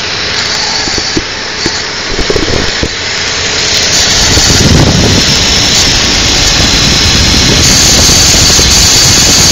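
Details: 2002 Infiniti QX4 cold-weather idle, intermittent noise lasting about 10 minutes after startup: hissing rush swells after a few seconds then holds steady; source unclear.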